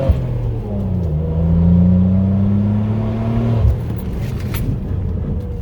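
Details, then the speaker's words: SAAB 9-3 Aero with newly installed R1 Concepts performance front rotors and pads, during bedding hard stops from about 50 mph: low steady buzz with rough pulsing edge that then cuts out, felt in the pedal; normal ABS activation. "ABS engaging. You can feel it in the pedal right away."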